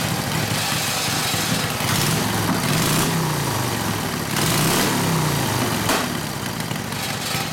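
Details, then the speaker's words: Harley WL 45ci flathead V-twin, no throttle: loping idle, irregular chuffing about three or four pulses a second; rough idle, owner suspects front exhaust pipe rotated down and fell out; plans clamp and valve adjustment. "but one problem is the front exhaust pipe fell out see over here that makes it sound a little weird"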